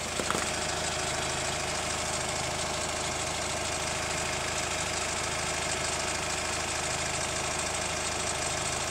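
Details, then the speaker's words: Hyundai ix35 CRDi 136 hp diesel, hot after driving, heard from the wheel side: faint regular dull knock about once a second over the idle clatter; owner suspects hydraulic lifters or chain tensioner, tensioner replaced 1.5 years ago, noise disappears after oil change. "Замечательно слышно. Хрум-хрум, хрум-хрум."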